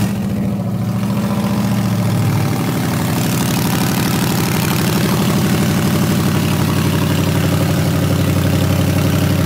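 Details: First start of a stock Ford Coyote 5.0L V8 swap engine with 24K miles, PATS delete and new electric fuel pump: catches in about two seconds, then settles into a smooth, even, deep idle with no knocks or misses.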